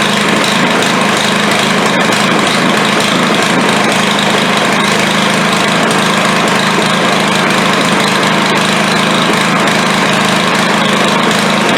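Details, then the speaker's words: Craftsman 140cc edger engine after valve lash reset (intake had been set so tight the spring was compressed), oil previously blown out the exhaust; loud, uneven, stumbling single-cylinder running, runs rough but runs; plug change planned, likely oil-fouled. "so all right it runs runs like hammered but it runs"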